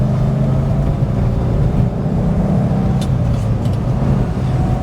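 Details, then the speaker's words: 1974 Rover 3500S V8 driving: deep, even burble with a smooth steady rhythm, no rattles or ticks; engine and exhaust sound healthy. "Give me a bit more V8"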